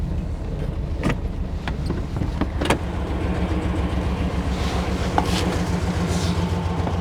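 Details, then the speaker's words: Chevy Blazer with sputtering idle: starts, lumpy uneven idle stumbling as it drops from four to three cylinders and back; misfire, owner suspects bad gas, possibly intake manifold gasket. "sounds like it's running on at least 4 cylinders so I'm going to go ahead and move it over there real quick and we'll get started oh down to three back to four okay"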